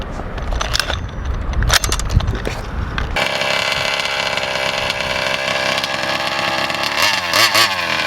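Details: VEKTA.5 RC car with small two-stroke and Walbro 1107 carb set to full turns on the high and 1.5 on the low, old spark plug: buzzes high and fairly steady after a rough start, then wavers and sags; owner suspects flooding.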